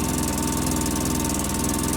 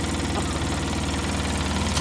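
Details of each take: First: 2005 Polaris Ranger XP 700 EFI, just started, not warmed up, after throttle body and TBAP cleaning, rich exhaust smell: fast busy idle with steady quick pulses; high idle from throttle cable assumed misadjusted. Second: 2005 Polaris Ranger XP 700 EFI after fix: throttle cable lock loosened, turned twice clockwise and relocked; steady even low idle, no hunting, one brief louder stretch; idling near perfectly now.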